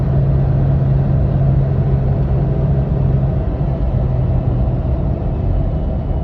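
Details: Lifted (4 in, Fox 2.5 suspension) 3rd-gen Toyota Tacoma at 40–60 mph: steady cyclic low hum above road rumble, began after rough mountain drive; needle bearing replaced with ECGS bushing, no change; drivetrain hum, source unknown.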